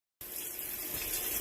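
Loud hissing rush of water through the inlet valve as the tub fills, harsh and noisy but steady; the fill valve is the likely source.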